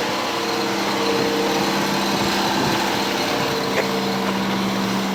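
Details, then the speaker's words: 1985 Cadillac Cimarron, base 2.0L four-cylinder, 43,000 original miles, cold start; steady raised hum at about 2100 rpm fast idle, even with no misses or hunting, no smoke, idle coming down as it warms. "this idle will come way down once it warms up attack works titling at 2100 rpm right"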